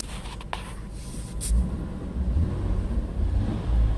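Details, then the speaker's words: 2000 Ford Taurus, 145k miles, in the cabin with the window up after fixing a motor mount whose bushing had shifted and let metal rub metal: low engine rumble rising with throttle, no dash rattle, cabin quiet. "how quiet it is now so apparently there's something wrong with that motor mount either the bushings that got pushed sideways and it's working metal the metal rubbing metal the metal make its sending that noise inside the cabin but now it's really quiet"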